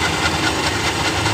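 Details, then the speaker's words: Honda Genio scooter after a home CVT service with the pulleys cleaned with water: steady running with a dry, rough rustling and faint squeal from the belt, possibly because the front or rear pulley has dried out, described as harmless. "depan dan Fuli belakang itu menggunakan air jadi sedikit kering jadi Fel akan bunyi seperti ini ini tidak apa-apa mungkin di bagian puli belakang atau depannya itu yang sudah kering"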